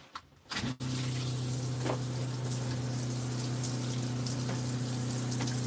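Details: Boat water pump: steady, low, even hum with no surging after switch-on while it runs tank water through and delivers flow, though another pump's noise partly masks it.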